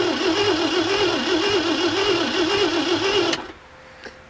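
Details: 1967 Mercury Monterey, 390 big-block V8, parked since 1992, original ignition after wiring repair, fresh gas: starter spins engine steadily about four beats a second but never catches or coughs; suspected no spark, not confirmed.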